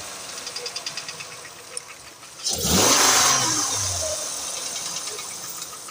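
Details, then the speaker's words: 2008 Acura MDX engine: quick, even tick about seven per second at idle, then repeated throttle blips and roll-offs; ticking knock of unknown cause. "Звук слышишь, как цокает? Вот так, газнул и бросил, газнул и бросил."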